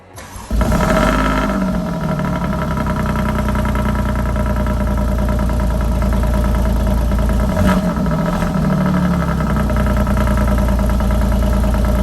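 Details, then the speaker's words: Alfa Romeo Giulia Quadrifoglio with newly installed Ideal Race carbon fiber intake, starting in normal (not race) mode; quick crank, clean catch with brief flare, then steady even high idle without misses or ticks. "remember when you start this car it does not start in race mode um so i'm gonna fire it up then i'll put it in race mode and we'll listen to it"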